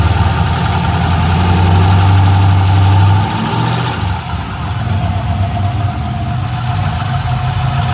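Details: LS1 V8 with a valve train of about 1000 miles (LS7 lifters, hardened pushrods, dual springs, trunnion upgrade; rockers still tight): steady tick, about four per second, over a smooth idle. Runs and drives normally; lifter or spun bearing suspected, unconfirmed.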